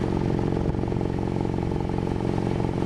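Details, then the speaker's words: Mic right next to tailpipe at idle after engine damage from low oil (tapping noise developed): steady, even low exhaust pulse with no misses or stumbles; normal exhaust note, drive-by-wire so no revving. "just a nice steady pulse just what it should be"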